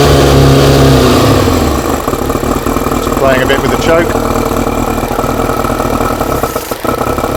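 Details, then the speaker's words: Four-cylinder carbureted bike, start after fuel pump primed with no air restriction fitted: catches and settles to steady idle with no choke, even pulses, no misfire or stumble; works, doesn't smell as bad; normal start and idle. "yeah but it works it doesn't smell as bad either"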